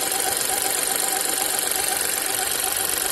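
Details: New VW T-Cross 1.0 TSI manual, 600 km, idling hot: faint high chirping squeak pulsing two to three times a second in the background; source unknown.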